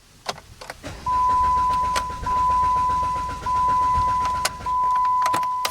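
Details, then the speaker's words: 2012 Jeep Compass Sport 4X4 with CVT, sudden no-start with no check engine light, starter keeps cranking after key released to run; steady starter whirring in long bursts, engine never fires; code P0335 crank position sensor circuit later found. "The engine will crank and it will not start. Then when you release the key into the run position, the starter continues cranking."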